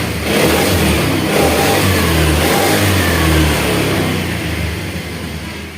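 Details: Honda Vario 110 carburetor scooter after repair: engine revs up cleanly and settles back without stutter or popping; ignition is fine and no longer sputters, the earlier sputter having been caused by no charging and a flat battery.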